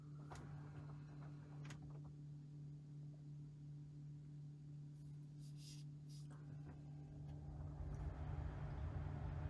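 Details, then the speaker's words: Brand-new 2021 Tesla Model Y parked, cabin: a steady low transformer-like electrical hum, louder as the air conditioning comes on with rising fan rush; an earlier-built Model Y is silent. "it's this humming noise that sounds like electrical transformer in the car now when i turn on the air conditioner it gets worse"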